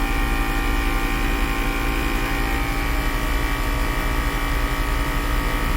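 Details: 2010 Mercedes-Benz GL450, new compressor and replaced air suspension valve body module: fast, steady pumping thrum at about 160 beats a minute, staying even while the car rises. Healthy, slightly loud, no errors afterward.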